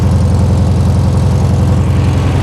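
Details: 1973 VW Super Beetle, first run after 20+ years off the road, freshly installed engine, after fan shroud adjustment, timing not yet set: steady, even air-cooled chuff at idle with a regular low beat, no rattles or misses; engine running cleanly.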